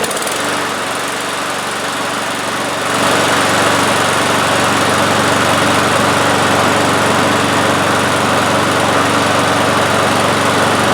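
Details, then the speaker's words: One-year-old 2024 Toro personal-pace mower with a Briggs & Stratton E-Series engine and automatic choke, after hitting a concrete-anchored bolt and having its blade adapter replaced. Started on the driveway, it runs at a steady, even buzz with no rubbing or banging; normal. "We're just going to start it up here on the driveway, make sure it starts okay, sounds okay, runs decent, and that's it."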